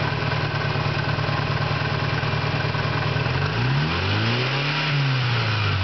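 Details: 1991 Eagle Talon TSI with a small 16G turbo and adjustable wastegate: rev blip, then uneven idle with a rough irregular beat. Owner suspects a failing pulley, valve trouble or a stretched timing belt, which is due for replacement.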